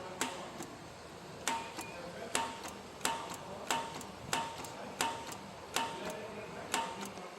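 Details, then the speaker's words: Lawn mower starter that throws its gear out but does not spin: sharp metallic clunks about once a second with no motor whir, the loud clunking being the gear coming up. "I'm going to send power to it and you'll see the gear only comes up but does not spin so that loud clunking noise is that gear coming up"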